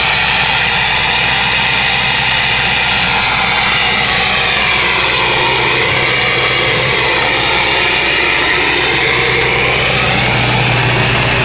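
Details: 2000 Ford 7.3 Powerstroke diesel cold start in 7°F Wisconsin weather (about 10 above said): steady, even clatter with no lope or stumble, idle holding constant, white smoke; normal cold diesel idle.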